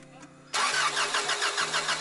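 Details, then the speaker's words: Honda Accord cranks but won't start: steady even starter cranking, never catches; no spark found at the coil pack when grounded and tested, cause of missing spark still unknown. "You ain't getting no spark, mama. That's why. So now we gotta figure out why you're not getting no spark to your core packs."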